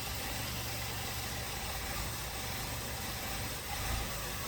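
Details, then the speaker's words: 2016 VW Golf 1.8 petrol with a hard cold start: a rough, rich idle with irregular stumbling and random misfires. Fuel trims are strongly negative and the dealer blamed the turbo. New injectors and walnut blasting didn't help. "can hear the way it's running it's rich stumbling misfiring randomly"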